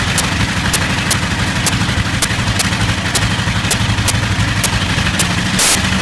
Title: Bristol Hercules engine slight misfire